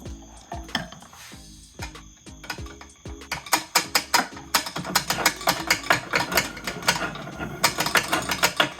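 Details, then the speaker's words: Kawasaki JS440 two-stroke jet ski, starter previously clicking and found wet, after replacing crank seals and a bearing: uneven, rattly clicking and ratcheting while cranking, not a smooth whirr; starter seems worn, cause unconfirmed. "Yep, sounds like the starter is not the best either."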